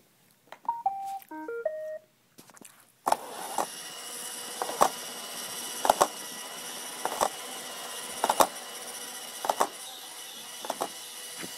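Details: Roomba: start-up chime then vacuum hum with sharp clicks about once a second; clicks for a while, then errors asking to clean the brush cage, main brush not rotating well from clogging or binding.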